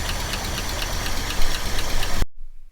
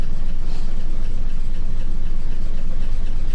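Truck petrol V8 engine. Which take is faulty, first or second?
first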